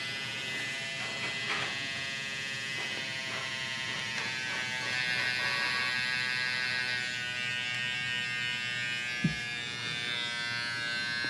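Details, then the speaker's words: Hair clipper after blade cleaned and oiled, previously labored and bad sounding: even high clean buzz with steady pitch, no bogging or rattle; blade freed up, running normally. "Now that blade is cleaned out and freed up, running really good."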